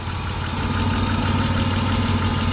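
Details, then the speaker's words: BMW E36 convertible petrol engine idling after oil pan replacement and refill, smoking from oil-coated exhaust: uneven, lumpy beat as if from a vacuum leak, suspected, not confirmed; idle later returned to normal. "but it is idling like it's got a vacuum leak which is weird you can kind of hear it"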